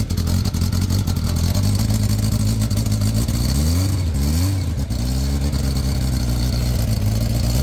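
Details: Motorcycle, revved: rough puffing note rising and falling with a raspy blowing edge; the silencer is holed and blows out inside behind the footrest.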